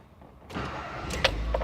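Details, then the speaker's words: 2014 Ford Fiesta Zetec 1.0 Flex with poor first start, not idling and check-engine light, fixed by replacing the coolant temperature sensor; engine at 16 degrees: brief crank, catches and settles into a steady idle without stumbling; normal cold start. "Aí, ó. Beleza. Estabilizada. Era nesse momento aqui, eu tocava arranque, ele não ficava em marcha lenta."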